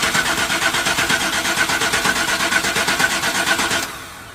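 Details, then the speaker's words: 1995 Chevrolet Suburban with new fuel lines, tank and fuel pump, and a battery not connected for a while: steady starter cranking at about three beats a second for four seconds without catching, as the lines were empty. Extended cranking from dry fuel lines. "I know we gotta crank it a couple times because there was nothing on the lines."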